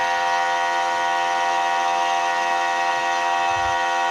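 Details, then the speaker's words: The last 12 V DC pump tested (motor 4949) at a raised 16 V with no load, reading about 97 dB (96 dB loaded): a loud, steady buzzing hum at constant pitch with strong vibration, no knocks or grinding. "Ini pompa terakhir yang saya tes di tegangan 16 volt 4500 biru ini motornya 4949 kita langsung J Nah itu kelihatan getaran kencang ya ini tanpa beban"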